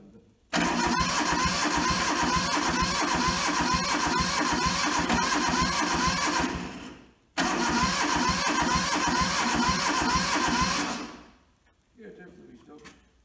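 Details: Toyota SDK4 skid steer diesel, restoration project; catches quickly into an even clatter, stops, then fires again cleanly; starts fine.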